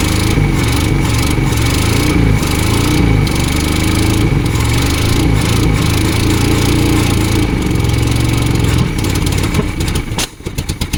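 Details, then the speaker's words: 1972 Volvo 145 four-cylinder after reconnecting missing plug wires: uneven, lumpy idle with a wandering beat and irregular stumbles, running on all 4 cylinders surprisingly well but upset by a major vacuum leak. "that actually runs surprisingly well. Got a major vacuum leak, that's shocking. Runs now on 4 cylinders."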